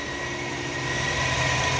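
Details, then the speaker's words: Chevrolet Malibu Ecotec petrol engine idling evenly with a steady low hum, totally smooth after repair; the earlier whining noise from the front timing chain, which began after a water pump replacement, is gone. "engine is running and it's totally smooth no noise is coming at all okay guys the burning noise is gone now"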